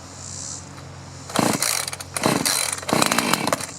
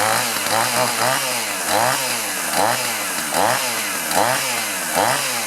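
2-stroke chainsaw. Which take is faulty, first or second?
first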